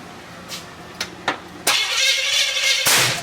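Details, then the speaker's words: 350 V8 in an SS at first start, with gas dribbled into the carburetor. A few clicks and about a second of cranking without catching. The distributor is suspected as installed wrong, later thought correct but possibly not advanced enough. "Hey! I'm starting to think the distributor ain't in there right."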